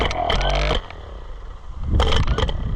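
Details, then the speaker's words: Neglected Oliver 1365 tractor, starter that may not be at fault: heavy, jerky cranking with deep thumps and metallic clatter, stopping and starting; cranking is violent and harsh. "All right. It gets violent. So, there's a chance that that might be better than what we got."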